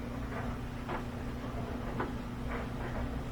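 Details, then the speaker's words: Whirlpool direct-drive washer after repair of a no-drain fault, draining well: dry sump spinning on air changes pitch, then an even low rumble with soft swishes as the drum gathers speed; spin-up sounds smooth and healthy. "Now we hear the dry sump spinning, but it's just hitting air, so the frequency changes, different sound. Sounds good. And now it'll start to pick up speed."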